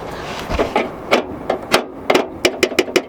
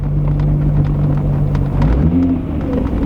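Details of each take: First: Underneath the Mk3, a hanging exhaust heat shield missing its retaining nut is struck by hand: sharp, tinny metallic clanks, about a dozen, quickening toward the end; this is the source of the car's underbody rattle. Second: Mk3 creeping along after work underneath: low, even rumble with no tinny rattle or buzz underneath, and only the door card still moving; the underbody rattle appears fixed.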